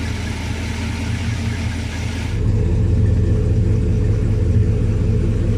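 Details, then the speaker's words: 1966 Plymouth Sport Fury V8 with tame camshaft and stock torque converter, idling as it's kicked into gear: deep steady burble drops and thickens under load without stumbling or stalling; healthy idle in gear. "you can hear when I kick it into gear that it still didn't stall, it still ran strong."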